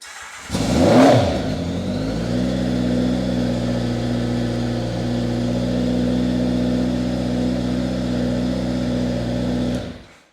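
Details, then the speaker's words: 1983 Honda Nighthawk 650 four-cylinder, sat since 1987, restored, cold start on choke then throttle: catches quickly and runs even and steady, no misses or knocks; runs healthy. "throttle. It runs great. I am super excited with how it came out."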